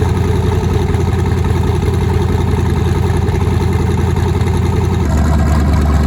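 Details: Nissan 240SX with twin-turbo LSX V8, first start after new turbo setup, out of gear, running on Holley Terminator X wizard base tune, fuel pressure not yet set: deep lumpy idle pulsing three or four beats a second, no misfire; normal idle.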